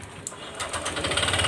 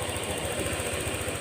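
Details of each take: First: Honda Click 125 scooter at 160,000 km, panels removed, throttle blipped lightly before repair: sharp metallic knocking about four a second, steady with idle; connecting rod knocking inside, to be fixed by replacing the crankshaft/rod assembly. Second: Honda Click 125 scooter at 160,000 km, after crankshaft/connecting rod replacement, seat refitted: quick, even putter with a steady low thump and no knocking or clatter; normal idle.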